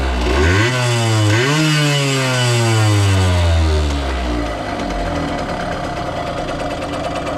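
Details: 1989 Yamaha YSR50 50cc two-stroke, 198 original miles, restored, first starts on premix racing oil plus working oil injection: crisp buzzy climb and drop through two clean blips, then even idle; runs healthy.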